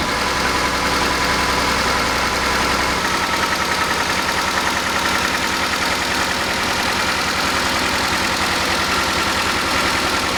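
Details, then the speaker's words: 1988 Honda CRX Si restoration, start after cleaning a possibly clogged nipple with brake cleaner: steady, even idle with a clean exhaust pulse and a slight shake, suspected from the missing front engine mount and a worn rear transmission mount. "as you can see the engine's running well but it's got a little bit of a shake to it"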